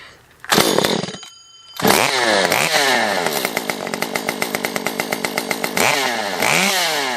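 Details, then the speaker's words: Stihl MS 194T top-handle chainsaw after a muffler mod (inner baffle removed, timing advance), now with a small baffle/deflector on the outlet: a crisp two-stroke rasp blips through quick revs, then holds a clean high rev, slightly quieter; normal running. "I think I actually like it with that little deflector on there a little bit better. Not quite as loud. Yeah, not quite as loud."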